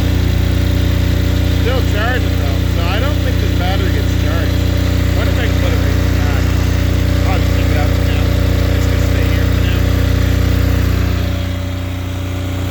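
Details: Apache diesel generator with no glow plugs, in freezing weather, after being reassembled and heat put on a needle that was likely stuck or iced up: steady, even chug with a constant low drone, no misses or knocks; normal idle.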